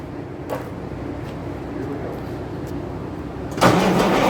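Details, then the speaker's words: Hard starting on first start attempt in at least 6 years: slow rhythmic diesel cranking about three beats a second, then a sudden rough catch near the end; newly fitted injection pump, owner unsure whether it needs adjusting, cause unconfirmed. "And uh as you can see, it starts to starts to want to start."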